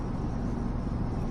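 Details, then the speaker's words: 1985 Chevrolet Silverado K20 4x4, revived after sitting for years, while driving: low, even V8 rumble with no knocks, misses or surges; runs smoothly, though a small exhaust leak was noted. "odor feels real smooth when it's idling it has kind of like a stumble to it like a little bit of roughness but once you get it"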